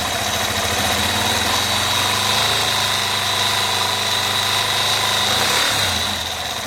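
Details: Yamaha Fazer 250 motorcycle at steady idle: a quick, fairly even tick-knock about three or four per second from the engine; a connecting-rod problem is suspected but not confirmed.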